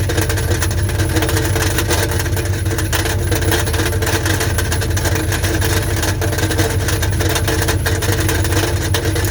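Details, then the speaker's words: 1984 Dodge Ram Prospector 3/4 ton, 360 V8, automatic, newly reconditioned starter: uneven metallic rattle about three a second at idle; stethoscope suggests inside oil pan; starter check first, then drop pan, cause unconfirmed. "but honestly it really does sound like something is rattling around inside that oil pan"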